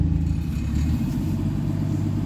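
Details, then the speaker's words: 1982 Ford Granada coupe at fast choke idle, exhaust pipe disconnected/straight-piped ahead of the silencer: loud, raw, unmuffled low rumble; large exhaust leak. "okay time to hear a large exhaust leak straight pipe"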